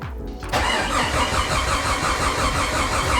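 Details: Rebuilt Jeep 4.6L stroker, first start attempt in neutral with fuel pump priming; starter cranks steadily at about three turns a second but the engine never catches.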